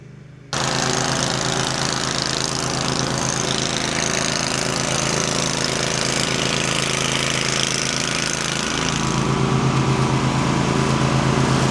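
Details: Lawnmower test run after deck rust repair by welding, repaint and new spindles: steady, even engine drone at constant speed with a smooth regular beat; runs healthy, no longer cutting grooves in the yard.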